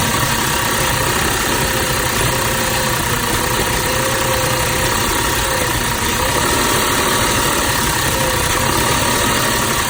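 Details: 2006 Audi A6 with rough idle for two days plus power loss at low speeds: steady idle with a slightly uneven low chuff and a thin constant whistle; PCV valve suspected, cause not confirmed.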